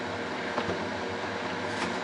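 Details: Ninja Speedi cooker after fixing a sticking pot-detection switch that caused a pot-not-found error: quiet, steady fan-like hum with no clicks, cutouts or surging; normal running.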